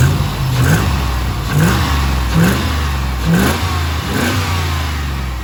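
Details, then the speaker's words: Rebuilt V8, about 3000 km after rebuild, warm: quick throttle blips picking up cleanly and dropping back evenly, no ticking or knocking; earlier noise gone, slight misfire still unresolved. "not bad once it's warm like I said she's good as gold"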